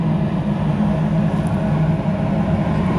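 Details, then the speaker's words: Carrier rooftop unit with no-heat internal control fault, cold day, after board reset: burner fires with steady low roar and even blower rumble, no banging or rattles; normal operation. "Hey, and we fire it up. All right. Blower is running."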